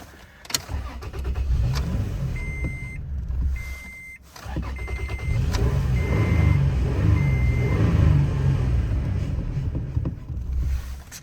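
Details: 2008 Toyota Tacoma 4.0 that died on the highway and now stalls about 2 seconds after starting, MAF unplugged here: it cranks and catches, runs rough, dips near four seconds, then labours on.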